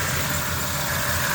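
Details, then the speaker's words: Honda after power steering fluid was bled of bubbles and topped up with Honda fluid: smooth steady idle with faint pump hum, no groan or whine; pump quiet and healthy, previously monstrously loud. "yeah that's definitely dude hell yeah this thing was monstrously loud before"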